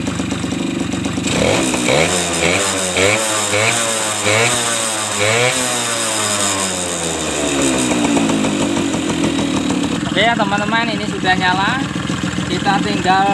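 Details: Suzuki RC two-stroke motorcycle previously hard to start with weak spark from imitation coil, started after ignition rework, ignition switch not yet connected; crisp ring-ding, blipped up and down, settling cleanly; ignition firing properly, normal running.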